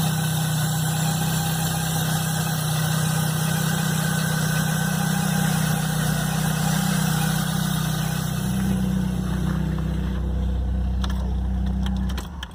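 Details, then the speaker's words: Chevrolet Blazer at cold idle the morning after a mechanic replaced the timing belt, upper accessory belt and alternator belt; a loud, steady low drone with a faint high whistle. It had started and sounded normal at the shop; the source is unknown. "quando foi de manhã no outro dia a hora que eu fui ligar o carro o barulho estava fazendo aí eu liguei o barulhão que estava fazendo"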